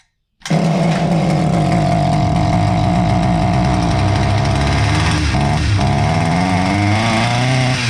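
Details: Husqvarna 359 chainsaw that sat two years, after a carb kit and fresh fuel mix: strong, steady two-stroke buzz that blips cleanly on the throttle with no stumbling; running healthy.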